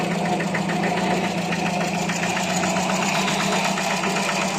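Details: Older carbureted project car idling after a full carburetor service done for rough idle and hesitation: steady, even idle with no stumbling or hunting, more stable, and better throttle response than before. Normal idle.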